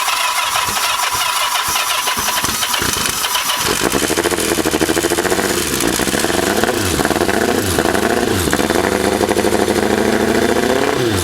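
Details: 1984 Kawasaki GPZ750 Turbo, fuel injected, first start after 22 years under a tarp, with a rusty tank and dirty but working injectors: cranks, catches, then runs with uneven surging revs that gradually smooth out; rough running after long storage.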